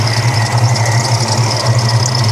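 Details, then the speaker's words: Supercharged stroker Mustang GT V8 idling, hood open: deep steady idle with a faint constant high-pitched squeal from the belt drive, suspected idler or tensioner pulley on one side. "you got a belt squeal maybe a pulley guarantee we got a pulley squeal wonder which one it is sounds like somewhere over here yeah it's going to be either The Idler or the tensioner on this side"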